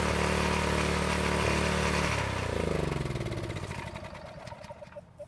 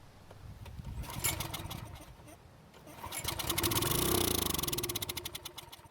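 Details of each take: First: County Line tiller single-cylinder engine that wouldn't start after storage with ethanol gas, after fuel-system repair, fresh gas and choke: takes a couple of pulls, then settles into a fast, even beat and winds down smoothly; normal running. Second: County Line tiller stored with ethanol gas in the tank, starting fluid sprayed into the carburetor throat: the engine catches, revs briefly, then dies. This confirms spark and compression, so fuel starvation from a carb clogged by evaporated fuel.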